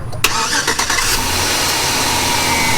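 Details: 2005 GMC Sierra 4.8 LS after oil pump replacement: starter whirr, quick catch, then steady even idle with no knock or tick; engine healthy.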